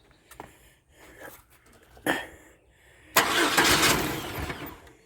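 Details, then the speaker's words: Project truck's first start after the transmission was removed and the fuel pump cycled: a few weak cranking bursts, then the engine fires and runs for a couple of seconds; a normal start. "She [ __ ] runs, guys. Heck yeah."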